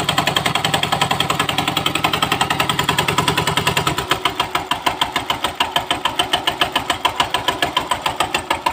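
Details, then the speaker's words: Suzuki GD 110 motorcycle with electric starter, before repair: rapid metallic clatter of about three and a half knocks a second, sharpening while cranking; the starter bendix at the magneto had come loose after its Allen bolt broke, so the advice is to check the bendix before any overhaul. "Ngayon mga boss, kapag nangyari sa inyong motor na di-starter yung GD nyo, tapos makalampag, napatingnan nyo na sa mekaniko. Huwag kayong magpapa-overhaul agad mga boss ha. Check nyo yung Bindex sa may magneto mga boss."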